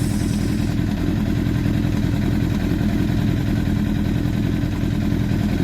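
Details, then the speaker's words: 2004 Honda CBR1000RR after repairing the IAC idle control valve, which had made it die at 62°C water temperature: steady, even low idle without dipping or hunting. Idle problem resolved; owner thinks it is now just overfueling. "Managed to fix the idle problem. Idle problem is resolved, thank goodness."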